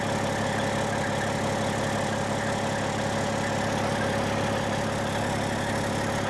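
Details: 1995 Western Star with Cat 3406E diesel, before exhaust replacement, with holes and a sheared flex pipe: loud steady drone with a rough, raspy puffing edge instead of a smooth low rumble; exhaust leak.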